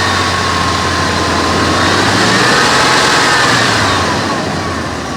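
Low, lumpy idle with a steady uneven beat around three per second that never settles into a smooth run; rough idle, cause unknown.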